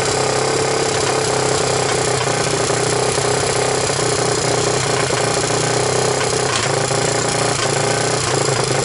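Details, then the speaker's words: 1998 Honda TRX300EX single, choke on with portable CDI box, running after oiling the intake valve seats to overcome low compression: steady, even beat with a constant note and no knocks or misses; normal running. "wow it actually sounds pretty good i like it"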